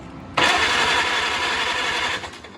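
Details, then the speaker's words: 1949 Farmall Cub tractor engine, sat unrun for many years, cranked out of gear on a rebuilt starter before a compression test: steady two-second crank with faint, even bumps underneath, a sign the cylinders hold compression. "freely I do hear some bump and that's also that's a sign that there is compression so let's do that again one more time and listen"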